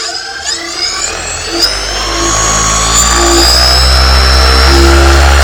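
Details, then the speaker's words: New SP140 electric paramotor holding back a 205 lb pilot. Smooth electric whine rising with throttle and a steady prop roar, no roughness; a healthy motor. "that is pretty crazy that is some nice thrust now i weigh about 205 pounds that's a lot of weight it's holding up"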